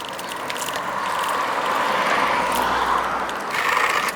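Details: Bicycle front brake gives a scraping squeal pulsing about three times a second with wheel rotation when braking; the pads seem to wear on one side and need replacing within about a month and a half, cause unclear.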